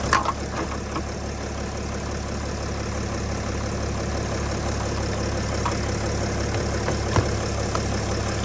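Steady, even idle with a smooth low hum and no knocks or misses; engine running normally once started.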